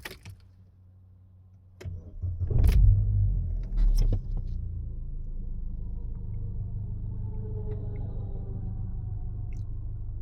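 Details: Opel Vectra C, 350,000 km, with gas (LPG) installation, before a gas adjustment: a few handling knocks, then smooth, low, steady idle with no stumble or hunting; normal idle.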